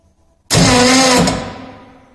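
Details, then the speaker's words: Starter motor bench load test: a hard, steady electric whir that winds down smoothly, its sound changing as load is added and current draw roughly doubles to about 200 A; normal starter operation under load. "by increasing the load on the starter motor the sound is also changing if you listen closely the sound of the starter motor is changing and the current draw is also changing"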